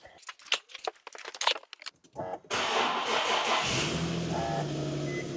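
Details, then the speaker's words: Infiniti G37 VQ37 engine, first start after a DIY rebuild, with trans fluid mixed in the oil as a flush: keys rattle, a short crank, then an even idle with no more knock or high-pitched screaming. Normal start. "Starts pretty good if I don't say so myself. Sounds pretty good. No more knock or high pitch screaming, so that's good."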